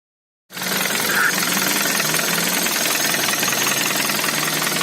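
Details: Hyundai Avante MD (G4FD engine), right after start: fast metallic tapping about three per second over the idle; engine knocking, shown as a reference example before buying.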